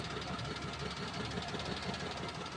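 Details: Maruti Suzuki WagonR K-series engine after full overhaul for loose pistons, water and oil consumption, timing chain set and tensioned: smooth even idle with steady light tick, no knock or rattle; normal idle.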